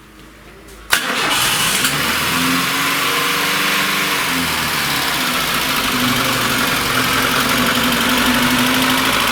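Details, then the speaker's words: VAZ 21099, 1.5-litre carburettor engine, 185,000 km, burning oil and running very badly in the morning; cold start on choke, cranks and idles unevenly with knocking and misfiring; compression later measured; cold-start misfire from a burnt valve. "что-то стучит что-то подтраивает"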